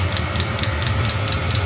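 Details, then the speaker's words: eBay diesel heater running wide open at a 35°C setting, about four minutes in with the burner fully lit after the roughly two-minute warm-up: even low roar with a fuel pump tick about three per second. Normal full-output running. "Now this will put out some serious heat here."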